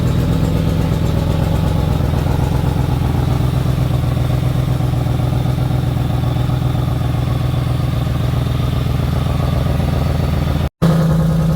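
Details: 2004 Ford Expedition 4.6L V8 that starts for a few seconds and then stalls: with the MAF sensor unplugged the engine holds a steady, even idle instead of stalling. A bad MAF sensor is suspected, not confirmed.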